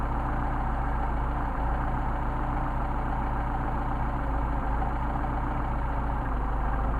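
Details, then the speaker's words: Mercedes 190SL Solex carburetors on test, idle mixture screw adjustment: low idle with uneven loping beat, stumbling and nearly dying as screw goes off its midpoint; set to midpoint where it sounds best. "Starting to stumble, and you hear it almost died. Back it out. Starting to stumble again. Run it back in and get our midpoint, where it feels and sounds the best."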